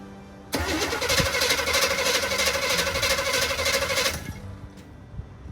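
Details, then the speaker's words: 1972 Chevy C10 402 big-block V8, unrun nearly 30 years after 1997 flood, with rebuilt carburetor: catches after brief crank and settles into a steady, even run with no knocks or misses; normal running. "right? It's alive. I'm happy."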